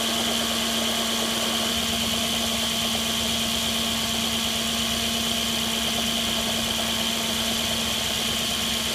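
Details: 2006 Audi A6 at idle: a fast, uneven, light rattle rides over the hum; the owner says the timing chain rattle has gotten worse or changed, but the cause is unconfirmed.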